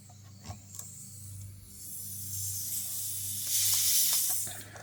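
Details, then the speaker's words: Car tire, jacked up on a stand after airing up, punctured by a long screw: thin high hiss swelling then easing as air escapes through the puncture; tire air leak. "I can hear it starting to leak. I moved it a little bit and I plug I think I plugged it up but yeah if you can hear it on camera but I can hear it."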